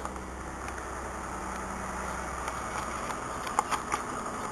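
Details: Mazda 626 with 176,781 miles, cold start after rain, nearly out of fuel: steady, even idle with soft fan hum and light ticking, no knocks or misses; normal cold idle.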